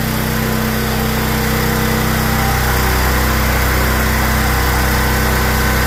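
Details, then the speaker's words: Small generator with a 390 carb that had been surging, after its clogged idle jet was cleaned (ethanol fuel blamed): a steady, even hum with a regular beat and no hunting, idling smoothly. "there we go we got it back up and running as I suspected it turned out to go and be the idle Jet"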